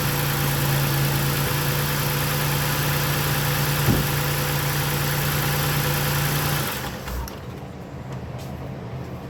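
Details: 2017-2019 Toyota Highlander after new spark plugs, PCV valve and throttle body cleaning with intake refitted: smooth steady idle with even hum, no misfire stumbles or ticking, switched off after a few seconds; normal idle.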